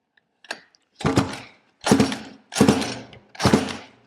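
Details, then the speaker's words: Roughly 20-year-old 50cc two-stroke mini moto engine on a pull start: four slow strokes under a second apart, it turns over but never catches; spark plug still dry, no fuel getting through, owner suspects a stuck carb float. "right the SP plug's still dry so it's not getting any fuel um the float could be stuck in the carb have a look"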